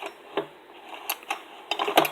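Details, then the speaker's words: Husqvarna 125BT leaf blower after reassembly, engine pulled over by hand: sharp metallic knocks, one per turn, as the flywheel hits the ignition coil; the coil screws were probably left untightened, so it needs disassembly to fix. "hear that knocking sound? It's a damn flywheel hitting the coil. It didn't do that before. I might have not tightened the fucking coil bolts or screws."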